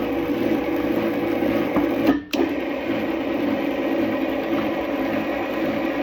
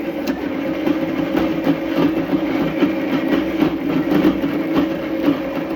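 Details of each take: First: Power Plus motor chain drive after tightening: with the motor aligned, the chain slack removed and the sprockets aligned, it gives a steady, even whir with no clunking; earlier clunking came from misaligned sprockets. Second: can hear it start clunking so something yeah see sprockets weren't aligned he pushed the motor forward the clunk went away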